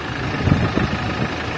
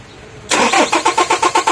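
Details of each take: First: 2023 Toyota HiAce with a no-start (no fuel pump supply, EFI relay suspected): after jumpering the EFI relay the fuel pump ran and the engine started, settling into a low, steady rumbling idle with no misses, knocks or hunting; normal idle. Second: 2023 Toyota Hiace cranks but won't start: starter spins the engine at an even, brisk beat for about two seconds with no firing, no supply reaching the fuel pump; EFI relay suspected and being replaced.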